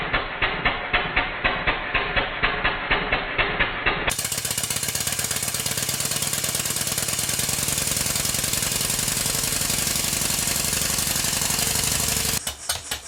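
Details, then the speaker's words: Stuart No. 4 steam engine, rebuild finished with cylinder drains fitted, running on compressed air on the bench with soundboard rattle cancelled: even exhaust chuffs about two per second, then quicker steady beats; healthy after the rebuild. "I'm going to cancel out the soundboard effect, so you'll be able to hear the engine working, not it rattling about banging on the bench."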